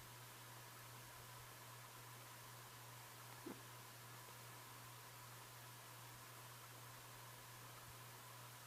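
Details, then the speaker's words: 36-inch Design House Carousel top-mounted spinner ceiling fan with cane blades on low speed, after fixing disconnected switch-housing wires that disabled low: only a faint steady hum under room hiss, no ticking, rubbing or bearing noise; runs quietly. "I wanted it's it's silent it's no lab to lab bearings or any weird noise coming from it I mean I mean I can probably hear a little hum but it's not bad"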